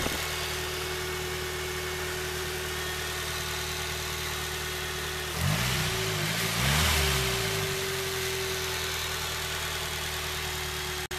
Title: sr20det strange noise ??? pt2